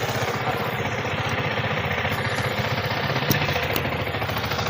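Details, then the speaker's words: Yamaha R15 V3 with a grinding, bearing-like engine noise linked to the ignition coil connection; with the coil wire disconnected it idles with an even, quick single-cylinder patter and no grinding growl. Normal idle. "இப்ப பாத்தீங்கன்னா உங்களுக்கு சவுண்டே வரல. வித்தியாசம் தெரியும் உங்களுக்கு. உருன்னு வர sound. அந்த உரு உருன்னு வர சவுண்டே இப்ப வரல பாருங்க நைஸ் ஸ்மூத்தா இருக்கு பாருங்க"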